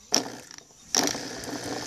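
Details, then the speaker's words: Washing machine drain pump tested out of the machine, plugged straight into the mains: a few clicks then a light rattling whir, partly from touching the table; pump spins, reasonable noise, expected to last. "ela tá fazendo barulho mas porque está encostado na mesa se eu levantar é o barulho está razoável"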